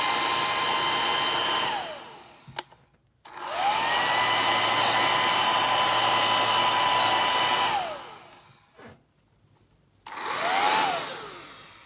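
Dryer spins up to a steady, even whirr with a clean fan tone, switched off and on again, running normally.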